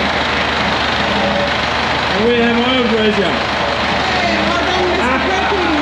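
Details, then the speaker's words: Perkins AA35001 marine diesel in a sailboat, just restarted after almost a year: even diesel clatter holding constant idle speed with no stumbles or knocks, with cheering over it; cooling water flowing but some smoke noted; normal idle. "it's like he's never done anything else perfect Mr Perkins is living [Applause] again"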